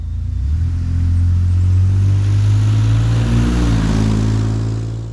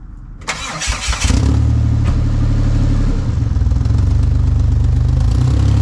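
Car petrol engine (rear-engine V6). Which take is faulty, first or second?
second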